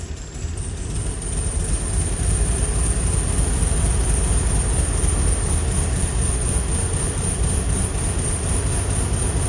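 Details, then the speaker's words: VW Bug after correcting flipped spark plug wires that had caused a no-start: steady, even low rumble held for several seconds with no misses, firing smoothly on all cylinders. "And it runs. It was literally the spark plug wires."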